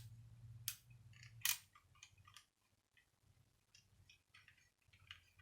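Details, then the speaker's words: Miele vacuum cleaner motor, torn down, armature turned slowly by hand: scattered sharp clicks and rough scraping, no motor hum; suspected worn or broken motor brushes and possibly a warped shaft, not confirmed. "hear that clicking and grinding and making all sorts of noise now that reckoning is quite possibly due to those motor brushes and possibly a warped shaft"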